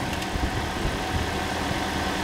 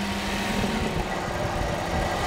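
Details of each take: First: Toyota Corolla engine, first start after work, already primed, before coolant filled and bled: steady, even idle with a smooth low hum and no knocks or misses; healthy idle. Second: Toyota Corolla engine swap, hard to start after restart: rough running, then revs jump and hang unevenly instead of settling to idle; faulty temperature sensor or wiring suspected, not confirmed.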